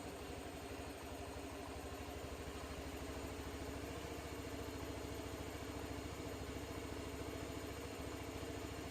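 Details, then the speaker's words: Honda Beat fuel-injected scooter, which sputtered and would not go, after a new injector, fault-code clearing and an ECU reset; it idles at a steady quick putter without sputtering, injector opening about 2.7–2.8 ms at idle; normal idle. "Kita hidupkan saja. Dan ini pun motor pun normal kembali."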